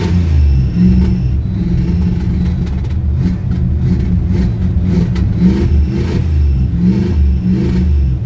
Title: cold hard start on an old 1971 Plymouth fury